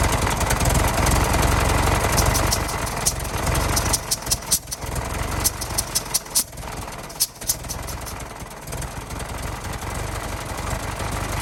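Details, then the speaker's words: 1916 Federal Motors truck, 107-year-old four-cylinder that was seized and sat 50+ years, bottle-fed fuel, rusty radiator being filled with water; steady low idle with a brief uneven patch midway before evening out, runs real good: normal idle. "I gotta say she runs real good for being 107 years old and sudden for 50 years"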